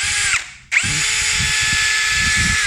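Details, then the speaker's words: Yasuka YID-318CB cordless tool (lookalike of Power Action BID20B), 20 V LXT-type battery, measured near 2000 RPM: on speed 2 the high whine cuts off abruptly when the trigger is released, the brake stopping the motor too harshly. "Tapi terus terang dia punya ininya, waktu ngeremnya ini terlalu kencang."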